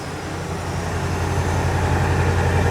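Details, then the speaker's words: Lazy Daze RV motorhome idling after exhaust leak fix with new muffler and tail pipe (old muffler blown out, exhaust out of alignment); steady even low hum, no puffing, ticking or hiss, slightly louder with engine doghouse cover open; normal sealed idle. "Oh my god. Pretty quiet. Awesome. Rev it? Okay. Yeah. Well, we have the dog box open. That's why it's a little louder."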